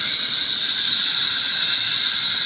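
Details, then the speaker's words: Fisher DVC6200 positioner stroked via Emerson Trex HART communicator: steady high-pitched air hiss rising as commanded opening goes from 25 to 50 percent; valve travel stuck at 50.4 percent at 75 and 100 percent input, cause unconfirmed. "you can also hear the noise increasing now let's go to 50 the valve is 50 percent open"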